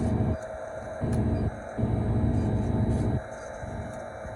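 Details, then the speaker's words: Walk-in freezer compressor with suspected slow refrigerant leak, cycled into defrost: drone keeps dropping to a quieter, strained, choked-off hum then swelling back without shutting down; leak hits found around the service valve. "Okay, there you go. Definitely the sound of the compressor changes. Like it's choked off downstairs, but it doesn't actually shut down."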